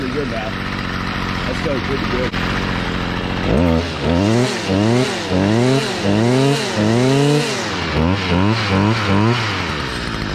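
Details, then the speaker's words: 2011 Stihl FS55R trimmer, 27.2cc two-stroke, nine years old, last run November 2019, started on choke and primer bulb; about a dozen crisp throttle blips revving up and dropping back cleanly; normal running. "all right mr. Steele that one's really good"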